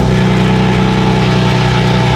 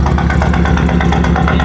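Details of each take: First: BMW that began misfiring after doing donuts, with a check engine light. Owner wonders whether Christmas lights drawing battery power were involved. Steady, even idle with a low hum and no skips. Normal idle. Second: BMW with check engine light, started misfiring after doing donuts: loud, choppy lope with an uneven beat like a cammed idle, running rough; cause not yet diagnosed.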